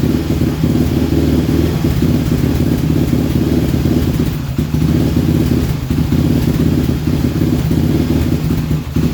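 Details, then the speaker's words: Raptor 700 single-cylinder ATV idles unevenly, rising, falling and stumbling as the wire harness is pushed, with erratic RPM readings, sometimes dying, from broken harness wires with only a few strands still connecting. "as I was pushing on that harness, you can hear the idle go up and down, and on the RPM screen you can see that jumping around, very, very erratic and with irrational numbers."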